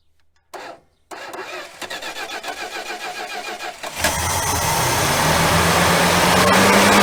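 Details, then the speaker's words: 1966 Dodge Coronet started after 20+ years sitting, starter jumped, starting fluid sprayed: slow labored cranking with uneven catches for about three seconds, then fires and runs rough to a steady idle, smoking and leaking; carb needs work. "well that starter's not super happy"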